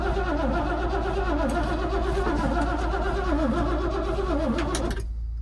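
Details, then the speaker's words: Yard vehicle started for plowing, fuel confirmed and starting fluid sprayed: starter cranks steadily about four compression strokes a second for five seconds without firing; crank no start, owner suspects no spark (possibly coil). "she don't sound like she's got spark"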